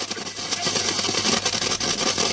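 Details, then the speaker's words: Telefunken Hymnus radio-phonograph during FM IF alignment at 10.7 MHz: irregular crackling and scratchy hiss bursting on and off; the tuner valve is making poor (false) contact. "y el problema radicaba en lo que os voy a enseñar ahora y es que la válvula de que está ahí detrás que es la válvula del sintonizador hace falso contacto"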